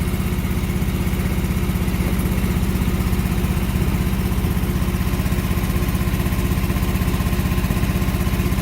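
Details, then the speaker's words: John Deere 445 mower engine with the right plug disconnected, running on the left cylinder only during coil-pack troubleshooting of a sporadic miss: a steady, loud, lopsided thumping idle, weak under load as expected. "so it's running kind of weak as to be expected [Music] just on the left-hand cylinder"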